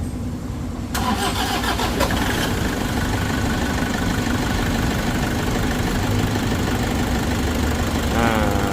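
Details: Toyota Vigo 2KD diesel at 300,000 km, start after timing-belt service and injectors refitted with new washers. It cranks, catches at about one second, runs rough and clattery, then settles to a fairly steady idle; slow to fire.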